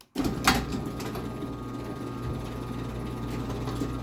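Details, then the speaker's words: Rare Chamberlain PD752KEV 3/4 HP garage door opener on a mini door: steady low motor hum with light irregular chain rattle over the sprocket as the door travels down; overall a quiet, healthy machine. "go yeah and you can hear a little bit of chain noise of the chain going around the uh chain SP up there but it is overall a quiet Machine"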